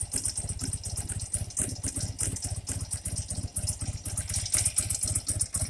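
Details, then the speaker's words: 1984 BMW R80RT airhead twin after cleaning rust debris from leaking Bing carburetor float bowls, air-fuel screw a quarter turn out: soft, regular putting with no hesitation or misfire; normal idle. "Sounds a lot better, really."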